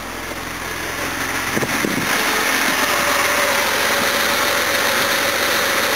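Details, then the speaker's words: 1969 Jaguar XJ6 4.2 L six, first run with a replacement high-compression engine after timing and carburetor mixture adjustment: revs cleanly with a smooth, even, strong note, no knocks or misses. Normal running. "that sound keeps better than the old engine it is oh much stronger too very high compression engine"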